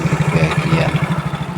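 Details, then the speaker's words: Yamaha Mio J scooter at idle before repair: a fast, even clatter of light knocks riding on a low thump; the owner complains of a noisy engine, the source was not yet known (CVT or engine), and it was later traced to the cam chain and tensioner. "Untuk sekarang adalah ee si pemilik pengin mesinnya yang gembradak seperti ini dibuat ya minimal agak halus ya."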